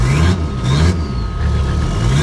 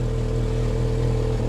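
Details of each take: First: Abandoned 1980s Toyota Supra at auction, first start after sitting: runs poorly at idle but picks up cleanly on each light throttle blip and settles back evenly, no misses or knocks. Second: Car at auction with 110,648 miles, airbag malfunction warning: low steady idle with a fast puffing tick on every pulse from an exhaust leak, plus an occasional uneven beat from an intermittent misfire.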